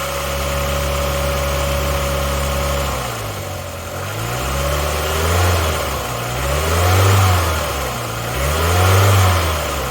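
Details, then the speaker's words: 1993 Ford Mondeo Mk1 saved from salvage auction, heard from the rear with no smoke: smooth, even idle, then clean throttle blips rising and falling without hesitation; normal idle. "See what it sounds like from the rear. No smoke coming out of it. It's running really nicely."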